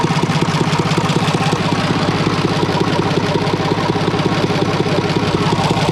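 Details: IH International 484 tractor, D179 3-cylinder diesel, run outside on straight pipe after head gasket replacement: loud steady even chugging, no misses or knocks; fan hitting the shroud; runs healthy.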